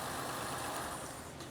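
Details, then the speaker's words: 2012 Ford Escape 3.0 litre, brought in as a no-start with a dead-looking battery, now starting and running: smooth, even idle with no knocks or ticks; charging confirmed at 14.5 volts. "okay so the engine starts and runs just want to real quick just check the and it is charging it's 14 and a half both so it's charging"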